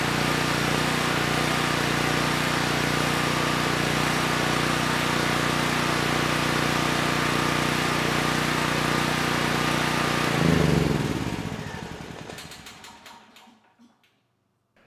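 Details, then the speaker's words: Honeywell 7500E generator after carburetor cleaning and axle welding, running with two lights loaded one per leg: even steady engine drone, no misses or knocks, clean wind-down at shutoff; stator undamaged, making power normally. "it would seem like I did not trash the stator when welding on that axle"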